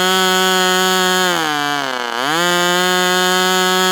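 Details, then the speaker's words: Ross Black Demon 61 model engine, first run on a test stand, about 71°F: loud high buzzing holds steady, then sags in pitch for about a second and recovers; mixture unclear, low-speed needle leaned slightly. Cause suspected, not confirmed. "Did it sound rich or lean? Let's just lean that low speed just a hair."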